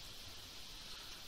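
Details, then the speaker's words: EVGA GeForce GTX 760 ACX graphics card fan running loud at idle, reportedly default ~1200 RPM at 43%, GPU at 35°C; steady airy high hiss with no rhythm or pitch change, cause unclear though temperatures and performance are fine. "It's very loud right now. I don't know if you can hear it, but supposedly the default is 1200 or so RPM at 43%."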